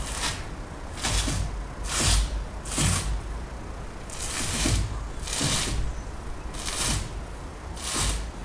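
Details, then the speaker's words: Peugeot (Bipper) with the engine off. A sharp click-clack comes each time the steering wheel is swung, about once a second, heard from the front left side. The source is unconfirmed; a steering or suspension part is suspected. "سمعتوا هذه من الجهة الشمال تو من الجهة اليسار الصوت هذايا."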